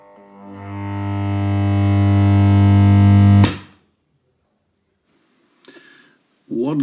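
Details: 1963 Fender Princeton Brownface 6G2 tube amp at first switch-on: a deep, steady mains hum swells loud over about three seconds. Inspection then found a 220-to-110 V step-down transformer with brittle, missing terminal insulation.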